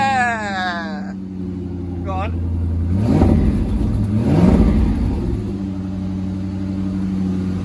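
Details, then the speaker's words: 1990s Corvette C5 manual, previously a non-runner, after replacement PCM install, security relearn and fuel pump jumped at relay terminals 87 and 30: catches, settles to a steady idle, two clean throttle blips; engine runs well. "sounds good doesn't it it just it does sound good sounds Mega um and I'm glad to say that the engine sounds nice"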